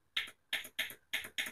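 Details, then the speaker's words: Honda CB150R with battery still normal: pressing the starter gives only sharp dry clicks about three a second and no cranking; fault found inside the starter motor. "kita coba pencet untuk starternya suaranya itu cetek-cetek saja Bro"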